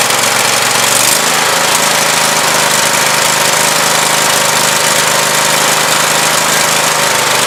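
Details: Briggs & Stratton 24 hp V-twin on Husqvarna YTH2448 mower, 195 hours, long-sat trade-in with a new gasket after sucked-in pushrods were removed: steady idle with irregular pop-pop sputter, misfire traced to one weak cylinder; compression test planned.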